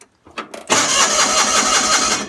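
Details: Gravely 817 with Onan CCKA twin after starter replacement and reassembly, PTO held: a couple of short bumps, then the starter spins it briskly with a steady, even chugging rhythm; normal starter cranking.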